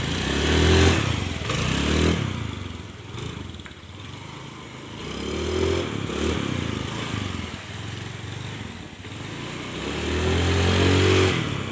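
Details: Carbureted Honda Scoopy after a full service for slow, heavy, sputtering acceleration; full-throttle one-hand pulls are clean, with a steady, even note and no stumbling or misfire.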